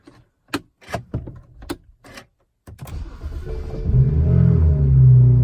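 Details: 2006 BMW 330i (E90, N52) on a cold start, with new VANOS solenoids and camshaft sensors fitted: starter clicks, then a rough, lumpy low idle. The owner says it also shuts off and restarts while driving, and surges and loses power.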